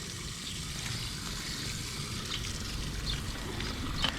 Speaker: I hear the rush of water, even above the thundering traffic. So if I come down here, I should see a lot of water coming out of the sea chest.